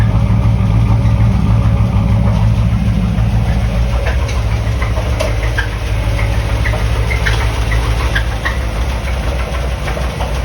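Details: 1988 Corvette V8 at idle, recorded from the back: steady low rumble with a light regular knock and an occasional squeak; exhaust shows no misfire; owner thinks it comes from one front side, cause unknown.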